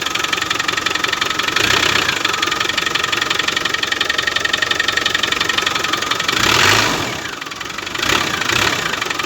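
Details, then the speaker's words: Land Rover Defender at idle, just fired up after fitting a replacement alternator with a rewired field wire (the previous one's rear bearing failed); battery charged about an hour. Alternator light is off and it runs true, but a faint high whine rides over the engine clatter from the belt-driven accessories; cause not yet pinned down. "And everything seems to be running pretty true. She has got a bit of"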